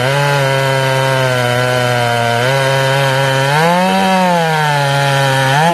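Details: Ported Jonsered 630/266 chainsaw cutting wood at about 110 degrees ambient after warm-up: pitch sags low and slow to recover, weaker than stock, won't hold tune; crank or bearing failure suspected.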